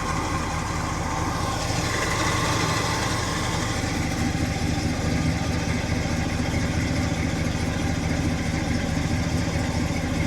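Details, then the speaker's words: 1992 BMW 325ic at a Copart salvage auction, after a hard start with gurgling water while cranking and a milky oil-water discharge from the exhaust: a steady, even idle with a dense low rumble and no misfire or knock. It runs well; cause unconfirmed. "boy she runs good but when it was it didn't want to run like it just did not want to run at all and you could hear while it was cranking this gurgling sound of water"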